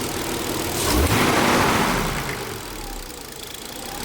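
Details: Nissan 300ZX daily-driven nearly 20 years, bogging issue, suspected failing TPS, after battery reset and idle adjustment: engine swells briefly then settles to a steadier, smoother low idle with no misses; idling properly now.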